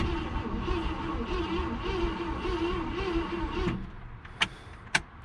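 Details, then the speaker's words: 1966 Ford Galaxie, 352 V8 four-barrel with automatic, formerly seized and not run in 26 years. Points sanded and fuel poured down the carb. Starter drags slowly and unevenly for about four seconds, never fires; owner suspects no spark or a bad coil. "sounds like ass dragon a little hmm I don't think that's part so yeah I'm gonna troubleshoot this pretty sure we don't have spark"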